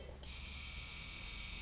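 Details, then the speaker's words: Cheyenne PEN tattoo machine switched on at 9 volts, for comparison with a Helios. The motor kicks on and holds a smooth, even high-pitched buzz, much louder with more vibration than the Helios; running normally. "куда громче и у этой вибрация гораздо меньше в этой вот"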